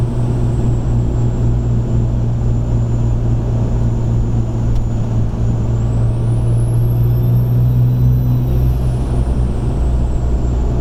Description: Above ~20psi turbo whistle turns in to a whine that sounds like a supercharger.